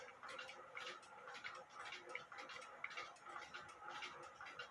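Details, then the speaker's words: Granddaughter clock movement ticking after fixing a bent verge and crutch assembly whose foot was up in the air, picked up by a timing-machine microphone; soft, sharp ticks about once a second, spacing slightly uneven, nearly in beat. "well i had it ticking away um i still have a few adjustments when you have to wait for the b amplifier to uh um slow down and uh when you first start the pendulum off you're going to get extra noise is what i'm trying to get at"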